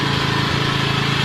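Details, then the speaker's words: Norton PGi2500c inverter generator after the owner cleaned and tuned it: small engine humming at a steady, even pulse with no misses or surging; starting better and running smoother. "Yep, starting a lot better now. More smooth."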